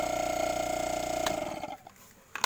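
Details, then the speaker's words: Inverter refrigerator compressor that had seized and would not start, opened and found with water in its oil; connected to power before welding, it buzzes with a fine rapid pulse, runs, then winds down; compressor starts. "Sudah kita hubungkan, ternyata tidak nyala ya. Oh, menyala. Oke."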